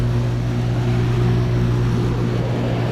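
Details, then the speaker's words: 2012 Bryant Legacy outdoor air conditioner condenser running at 82°F: loud steady drone with rough buzz on top; owner suspects the uncleaned unit, metallic sound source unknown; metallic noise from AC condenser. "It's loud as hell. And I'm gonna do a cleaning this year. I think because it hasn't been cleaned, maybe that's why. So, like, listen to this thing. I just don't know what that metallic sound is. It's just weird."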